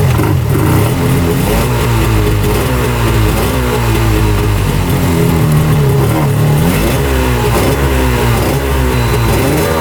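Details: 1995 Tigershark jet ski two-stroke, revived after 20 years unrun, running on land without choke before a water flush: a loud, steady buzz with slight pitch swings as the throttle settles; normal running.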